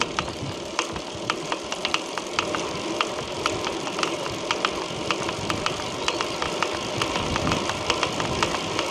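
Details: Chris King R45D rear hub, internals already replaced once for the same symptom, recurred after little riding: sharp irregular cracks, a few per second, over a soft rolling background. Cause not pinned down.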